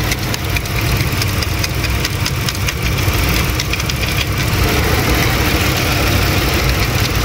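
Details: 2008 Lincoln MKX 3.5L AWD, 199,000 miles, check engine light, runs rough mornings and worsening; lumpy uneven idle with a recurring stumble, misfire from a stuck, dead fuel injector that stayed dead when tapped.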